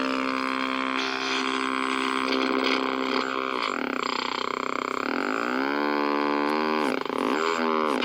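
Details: 1964 Sony 9-304U portable solid-state TV: a buzzy droning squeal bending as the hold controls turn, with a low motorboating putter underneath; the cause was an open detector diode.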